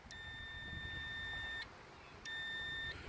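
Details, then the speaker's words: Multimeter on diode/continuity setting with probes touched together, before testing an RV generator switch: clean, steady high-pitched beep for about a second and a half, then briefly again; normal continuity beep. "And it has a speaker for audio. So we'll click that over there. Now, when we touch the two ends together, you'll hear a sound."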